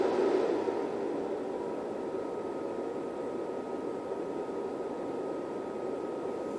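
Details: Rigol DP832 power supply with the stock SUNON ME80251V1-000C-A99 80mm fan: steady, loud airy whoosh with a faint constant whine; noisy fan later replaced by a 92mm Noctua NF-A9 PWM via a 3D-printed adapter.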